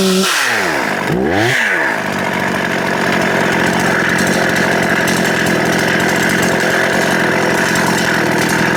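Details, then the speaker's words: Restored Husqvarna 266XP chainsaw, owner unsure whether the bottom end needs bearings: steady high revs in the cut with a rough, uneven bite and little pitch change; the brand-new chain has gone dull, cause unknown, no dirt hit. "That chain is dull. Um I wonder what caused that. I didn't hit the dirt."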